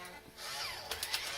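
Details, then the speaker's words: Macintosh SE/30 floppy drive (1.44 MB disk, freshly written image) spins, tries to eject, then grinds: short high whirring scrape with rising and falling sweeps and clicks, slow to pull the disk in; drive suspected to need lubrication, not confirmed. "oh it definitely did not like that one it sure doesn't suck that down very quickly no all right we're gonna have to try to get a disc that'll work on this plus we really need to pull that disk drive out and try to lubricate that"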